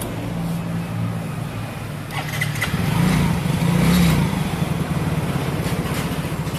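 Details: Yamaha Soul GT bored up to 150 cc with a Sonic piston, single-cylinder with enlarged head ports, new valve seals, BRT racing camshaft, valves just adjusted: fires and settles into a steady thrum, revs cleanly and drops back evenly; normal running.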